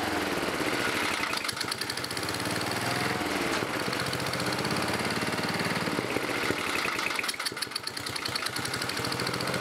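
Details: 11HP Briggs & Stratton single-cylinder running on a bolted-on starter after carburetor cleaning; rough, loud running with uneven knocking through the exhaust beat that rises with speed; it also smokes; engine knock needing a rebuild.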